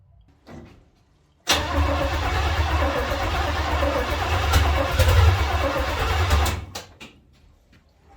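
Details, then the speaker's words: 1970 Chevy C10 small block V8 with carburetor bowl filled by hand and timing off: about five seconds of fast, even cranking, roughly three beats a second, no firing; owner thinks it flooded. "I think I flooded it"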